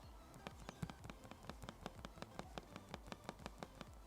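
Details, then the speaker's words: Dell XPS 15 9500 (2020, 4K touch) trackpad: quick light hollow ticks when clicking one area, loose wobbly rattle before the actual click; same issue on a previous unit. "whenever i click this part of the trackpad it makes a clicky sound before actually clicking"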